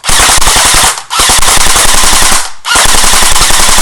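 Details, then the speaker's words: Echo1 airsoft electric gun on full auto, high-cap magazine not wound so no BBs feed: three sharp one-second bursts with a louder, hollow crack; dry firing, could be solved by winding the magazine. "here how it's a little louder that's basically I'm shooting blanks there's no BBS cuz I haven't wound the high cap mag"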